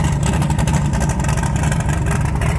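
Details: 1980 Trans Am Gen 1 small-block Chevy V8 turbo after valve seal replacement and a drive to clear intake oil: strong even note revving cleanly, no misses or ticking; previously bad smoke now gone; healthy revving.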